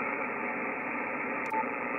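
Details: Yaesu FTdx5000MP on 20 to 10 meters: constant raspy hiss burying signals, power line arcing from pole hardware at neighbor's house, worsened after a hard freeze; noise blanker being tested against it.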